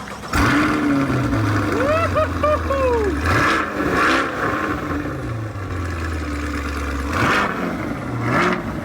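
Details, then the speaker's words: 2023 Chevrolet Corvette C8 V8 being rebuilt after a wreck, stock exhaust, possibly track mode: sharp crack on startup then quick throttle blips rising and dropping back to idle; healthy. "want dude that thing sounds nasty dude it sounds good imagine what it will sound like with the exhaust"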